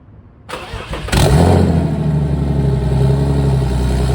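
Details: BMW E46 with turbo M52B28 swap, not started in a few days, true cold start: catches within a second into a loud, steady, deep idle (no downpipe yet), even beat, no knocks or misses; normal.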